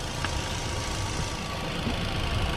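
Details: 2014 Chevrolet Spin LTZ petrol manual, used-car inspection: steady even low idle rumble with no knocks, misses or ticks; smooth healthy idle.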